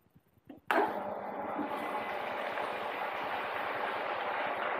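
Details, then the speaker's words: Small automatic water pump with its pressure switch set to 1.1 bar on and 1.8 bar off, switched on for a demonstration: a click, then a steady, even hum with no knocks or rattles; it cuts off at 1.8 bar when the tap closes. "Nah, ini nyala, tapi pada saat kita matikan kerannya, nah di 1,8, tekanan 1,8 dia akan mati."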